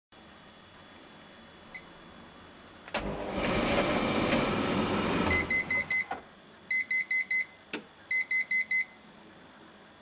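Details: Siemens tumble dryer runs briefly, stops, then beeps in three bursts of about five high beeps: false water-full alarm from the float held up by congealed muck; fix is cleaning the float, pump and water trough.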